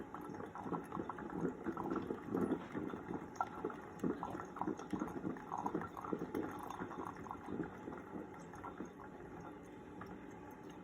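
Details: Ninja coffee maker after fixing five-beep error by blowing air through the water line to clear an air lock: soft gurgling, bubbling and drips as water heats and flows; brewing normally.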